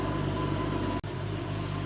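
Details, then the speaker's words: 1987 Porsche 911 Carrera 3.2 flat-six on a test stand, running much better after diagnostics: revs up to 2000 rpm with a steady, deep exhaust drone and a brief dropout, no misses or knocks; O2 sensor switching normally, sounds great. "just watch the RPM go up two thousand that sounds great"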